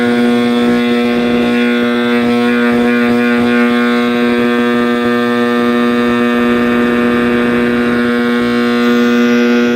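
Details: 1960s General Electric black-and-white TV, back off, warming up after rewiring: a loud, steady hum with a constant tone near 230 Hz and a howl on top; owner suspects an internal capacitor rather than the tube, unconfirmed.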